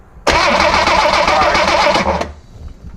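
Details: 1963 Rambler Classic 660 that sat a long time, after filing and cleaning the ignition points: steady fast starter cranking for about two seconds with no firing; turns over but won't start, spark a little orange.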